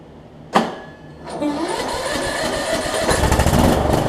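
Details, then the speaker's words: Troy-Bilt Bronco rider swapped from 20 hp Kohler Courage to 17.5 hp Briggs with new carburetor and retrofitted older Troy-Bilt muffler: quick crank catches, settles into even, steady run that builds slightly; healthy, exhaust seemingly quieter than the previous muffler. "that's quieter than the other one I think"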